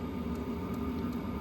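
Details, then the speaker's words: Smaller Hcalary diesel heater running: only even fan hum and rushing recycled air, no rhythmic fuel-pump clicking audible, unlike the noisier other unit; this quiet pump is normal. "But this pump is quiet. I mean, if you listen real close, I can't hear it because the wind is going through, the air is blowing through here."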